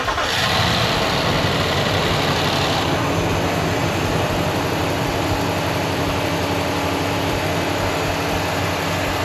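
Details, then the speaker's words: Ram pickup's engine on its first start after the work: it fires and settles into a smooth, even idle with no knocks, misses or ticks, though a code needs checking. Normal idle. "Sounds good enough."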